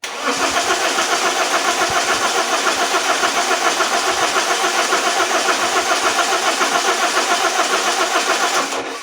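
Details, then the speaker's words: Alfa Romeo 156 1.9 JTD early common-rail diesel, previously had sensors and high-pressure pump replaced elsewhere, immobilizer eliminated (doubtful if done right): steady starter churn for nine seconds, never fires. Crank no start; low compression suspected, RPM sensor signal not read. "he car just does not want to start the immobilizer was already eliminated as well but that leaves me with some doubts about if it was done correctly or not"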